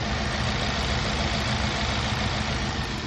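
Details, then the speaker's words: Four-cylinder engine with a misfire code on cylinder 3. Uneven, shaky idle with an irregular low stumble about three times a second, making the engine vibrate: rough idle from a misfire. "Today, I'm going to be diagnosing a misfire. Does your car have a check engine light? Or maybe sound like this?"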